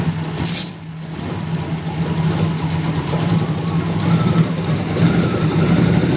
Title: 94 Mustang Rough Idle